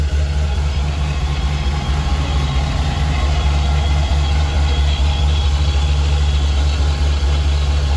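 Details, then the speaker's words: Supercharged engine idling just after replacing the self-adjusting belt tensioner with a manual one, to stop the belt walking off the water pump pulley near 7,000 rpm: steady deep idle, belt aligned, no squeal, chirp or flapping. "everything seems aligned it doesn't look weird or anything not wiggling not squeaking"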